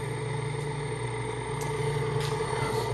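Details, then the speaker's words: Large three-phase AC induction motor from a Mitsubishi forklift, first trial on a home-built IGBT inverter controller, around 12 amps; steady hum with constant electrical whine, no rubbing or grinding, spinning freely; normal running, nothing blown. "so I am very happy I got it to spin uh nothing is blown up"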